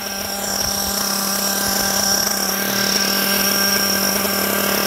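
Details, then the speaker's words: Nitro RC car at operating temperature on a high-speed pass, with less smoke: a thin buzzing scream with pinging that dies down, starving for fuel; the high-speed needle is too lean and is richened counterclockwise. "right there you hear the pinging and then it dies down that means it's it's starving for fuel so we're going to rich in it and eliminate"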